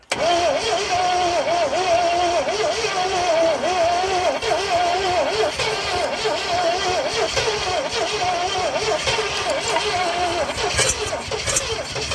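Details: 1970 Oldsmobile Toronado 455 that sat for years in a construction yard; choke held closed, fuel primed by bulb, battery weak: steady cranking rising and falling with compression, no firing; cranks but won't start.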